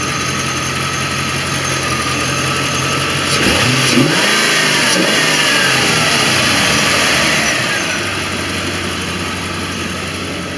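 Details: 1989 Corvette V8 with Bosch III injectors after replacing distributor ignition module (no spark before), 190° thermostat: even idle that swells with a brief rev and settles smoothly, firing cleanly with no miss.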